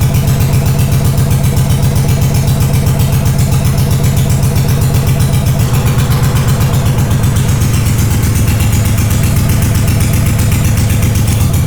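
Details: Honda GL500 motorcycle in a cafe racer build, first start after over a decade unstarted, wiring loom redone, old oil, on full choke: heavy, uneven loping idle around four pulses a second with a deep thump; rough idle on choke.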